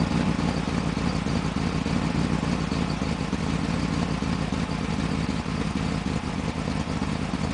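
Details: 1995 BMW 530i after a top-end engine rebuild, running rough at idle: uneven, stumbling beat that never settles, caused by an intake vacuum leak.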